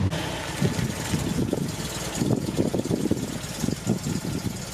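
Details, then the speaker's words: 1974 MGB with a freshly home-rebuilt engine, warm at operating temperature and holding temp after its first test drive: an even, steady idle with a low firm pulse, no knocks or misses; sounds really good, some tuning still needed. "Oh yeah, that sounds really good. You see that we're up to operating temp, and it is holding temp, which is"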